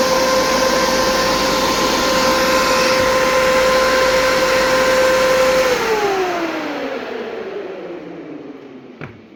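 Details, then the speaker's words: New 16-inch SPAL electric fan in a WJ shroud, to replace the hydraulic fan on a 2005 Jeep Grand Cherokee 5.7 HEMI, run on direct power: strong steady blade whoosh, then a smooth even coast-down in pitch; normal running. "Worked real good. It's ready to go in a 2005 5.7 liter Jeep Grand Cherokee."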